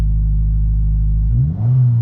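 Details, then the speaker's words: 2022 Subaru WRX turbo, still a little cold, on ramps after Perrin charge pipe install: low steady rumble then revs climb smoothly with rising pitch, turbo spooling, no hiss or flutter; runs perfectly well, no boost leaks. "Make sure you're able to rev it and it goes back down and revs. And you can hear the turbo spooling and it's fine. Runs perfectly well."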